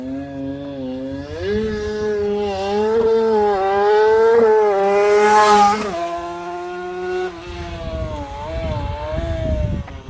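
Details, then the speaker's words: 3D-printed TST100 race engine on the dyno: whine rising and falling with revs over a rough edge from the gearbox. Collapsed input-shaft rear support bearing suspected, clutch basket nut being checked. "Uh, we've, uh, we've got a funny noise coming from the, uh, gearbox. I think we might have collapsed one of the little support bearings on the back side of the uh of the input shaft."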